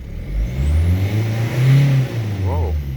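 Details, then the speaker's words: Diesel car that would not start after a fuel filter change, running once the air was bled from the fuel system: it catches and rises into a smooth, strong rev, then settles; some bubbles are still visible. "so but we have still we have some bubbles but uh i don't care it's working"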